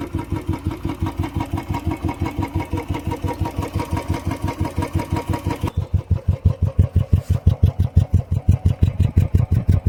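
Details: Royal Enfield Bullet 350cc single, cold winter start on second kick after about 1.5 months unused: strong even idle thump about three beats a second, steady and clean with no knocks or rattles.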